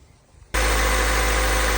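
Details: Acura RSX after new IMRC valve install caused no-crank: starter wire knocked loose behind throttle body reconnected; engine catches at once and settles into a steady, even idle with no misses or knocks.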